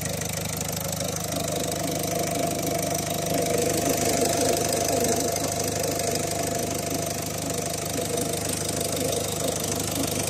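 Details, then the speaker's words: Diesel car engine after diesel pressure sensor on the fuel rail was replaced: even idle with a light rattling tick on top, attributed to timing chain tensioners not replaced with the chain; tensioner noise. "وهذا الصوت اللي عنده انا موجود بصفه عامه تلقاها موجود يعني شدادات وكذا احنا ما غيرهمش الا وقت يعملوا صوت"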